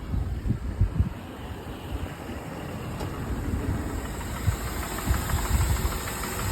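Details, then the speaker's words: Mercedes E350 M272 3.5 V6 4MATIC after a cold start: quiet at about 900 rpm, then as it warms idle drops to about 600–700 rpm and low, irregular knocking and clatter builds; piston slap from scored cylinders. "уже бряканье начинается. Все уже брякает, вот обороты у нас, ну еще не до конца прогрелось, 700 где-то 600. Вот уже начинается бряканье."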